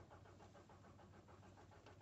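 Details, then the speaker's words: Citroen C-Crosser 2.2 HDi diesel cranks steadily on the starter but won't start; scan shows engine speed signal fault (P0336), crankshaft position sensor suspected. "no start so i'm gonna go on citroen now"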